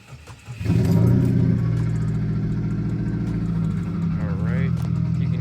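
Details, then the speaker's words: Subaru WRX FA20 2.0L turbo at startup, one fuel injector stuck open (found wet): engine catches and settles into an uneven, lumpy misfiring idle; Cobb Accessport shows abnormal air-fuel correction; fix is injector replacement. "So, we're going to turn the car on. You'll immediately hear it misfire if it even cranks over easily the first time."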